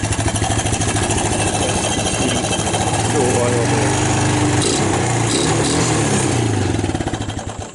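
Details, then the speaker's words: 1999 Suzuki Quad Runner LT 160 single-cylinder ATV, cold start on choke: steady idle thumping for several seconds, then the beat falters and dies; stall, owner suspects it ran out of gas. "yeah she probably ran out of gas"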